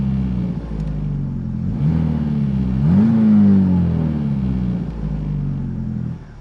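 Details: 2014 Ford Focus, 141,000 miles, after fuel pump replacement fixed P0087 low fuel pressure: steady even engine note with one clean rev rising and settling smoothly, no stumble or misfire; running properly.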